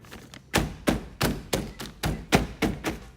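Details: Toyota MR2 SW20 with 1MZ-FE V6 swap: about eight firm knocks on the door after packing the rattling, loose corner inside the door with old gym mat. Each knock is a dull, solid thunk with no buzz or rattle, so the panel is now solid.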